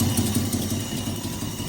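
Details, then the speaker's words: Jaguar (owner's dad's car) at a rough idle with a regular stumble in the exhaust beat; spark issue suspected, exhaust also sounds like it's blowing; misfire, running on five cylinders. "It runs very sweetly, doesn't it? On five. Thinks it's an Audi."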